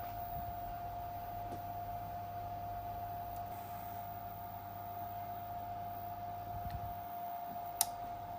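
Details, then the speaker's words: AIMS Power 1250 W inverter charger in charge mode on bench supply: steady high whine with sharp irregular clicks as it flickers on and off drawing heavy power; pressing a control-board chip changes it. Intermittent chip connection. "You hear it? It's going nuts. It's drawing a ton of power. It's like flickering on and off. That's exactly what it was doing."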